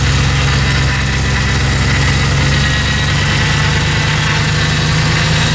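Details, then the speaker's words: LS V8-swapped Humvee (diesel replaced) on its first drive: loud, even V8 with a strong steady low drone and open intake roar, no misfire or knock; runs great, healthy engine. "Wow yeah man way way better way way worth it runs great oh man"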